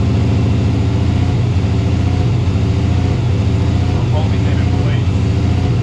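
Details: Turbo Subaru: loud, lumpy idle with an uneven stumble about once a second, misfiring and hesitant acceleration; cause found to be a failed idle air control valve (IACV).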